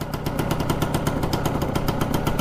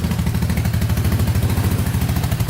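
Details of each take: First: Four-wheeler with stock pipe and baffle, carburetor not yet cleaned: fast, slightly uneven popping idle with visible smoke. Owner suspects it is running a tad rich. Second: Four-wheeler with a new battery, carburetor not yet cleaned, cold start idling on choke while warming up: even, steady thumping with no knocks or misses. Normal cold idle.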